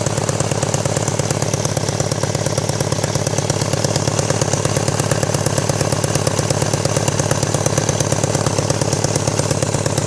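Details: 1999 BMW K1200RS motorcycle with loose exhaust header studs and bolts causing a leak and backfiring, plus a rattle from the #4 exhaust tube hitting the manifold port. Sharp, fast, regular raspy puttering pulses, the chuff of an exhaust leak at the header.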